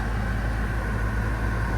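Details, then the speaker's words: 2015 Subaru Forester A/C compressor running after faulty relay replaced, clutch shim removed and refrigerant added: steady, even low hum with no clicking or grinding; vent air cooling to about 38°. "It's working. I thought the air compressor went out completely, but nope."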